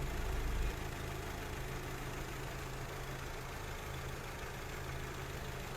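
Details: High-mileage car whose hydraulic steering rack clunked loudly when turning and leaked oil; the rack was disassembled, serviced and its clearance readjusted. Test turning the wheel after repair: only a quiet, even idle with no knocks or clunks; steering sounds healthy.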